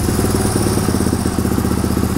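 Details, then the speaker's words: 1997 Suzuki DR350 single at idle, throttle untouched: thumping beat drifts faster and slower; erratic idle, also quits off idle; owner suspects low-speed carb screw or vacuum leak, cause unconfirmed. "if you listen to the idol it will fluctuate even though I don't touch the throttle right there did you hear it speed up"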